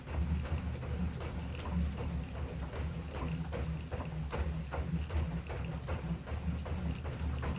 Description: Assault runner elite creaking sound